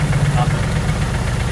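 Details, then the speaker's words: 2JZ-GTE turbo six in a Mercedes SL500 swap, idling; lumpy uneven idle with dropped beats. Infrared check shows no heat in the front two header runners. Misfire, front two cylinders not firing for lack of injector signal. "another thing you can do is if you have a like a pyrometer like an infrared thermometer you just check each header Runner and if they're all the same you know each one is firing we still have no fire in the front too"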